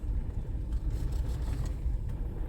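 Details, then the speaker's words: 2007/2008 Toyota Corolla S, 164,000 miles, crossing a steep parking-lot entry after replacing the failed passenger front strut top mount: only low road rumble, and the earlier heavy knocking is gone. "the problem is definitely fixed we have no more crazy noises success"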